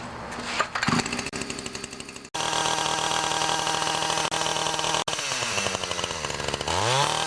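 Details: Ryobi 31cc two-stroke mini cultivator after turning the L screw out 1/8 to 1/4 turn and fitting a new Champion RDJ7Y plug; high buzzy note fires evenly and picks up cleanly on throttle; normal running.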